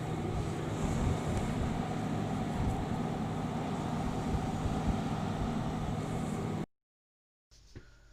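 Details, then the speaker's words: Webasto Thermo Top diesel water heater in a camper van: low steady hum with faint even tone, no knocks or rattles, then stops; extremely quiet normal running. "as you heard it is extremely quiet and the control gives you full control of when and how hot the water is"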